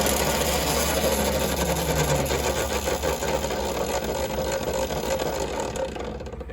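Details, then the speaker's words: Nathan's custom Voloci electric bike out of storage, wheel spinning free with a stuck wide-open throttle: coarse, uneven growl with gritty rasp instead of smooth hum; owner says it sounds brushed, or like a three-phase motor with timing off; unconfirmed. "it sounds really weird. It almost sounds like it's a three-phase motor and the timing's off."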